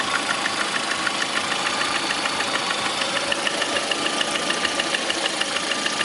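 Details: Lada Priora with 21126 engine at idle: sharp, fairly regular ticking knock about three per second; knock at idle, top-end or bottom-end origin uncertain.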